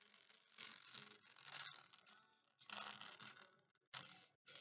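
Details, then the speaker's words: Apple MacBook (model 1502) laptop speaker before repair: music plays through a thin, crackly rasp that fizzes on louder passages, speaker distortion, to be fixed with rubber glue. "it's having a speaker issue it is making noise I'm just gonna play the music to see how it looks like if you can hear the uh the sound the Distortion in the speaker"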